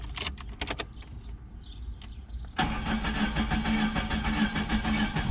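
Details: Start of a 1987 Chrysler LeBaron Town and Country Turbo salvage-auction car after fuel-pump priming and first oil change since 2005: light clicks and rattles, then it catches at once into a steady, even idle; a normal start.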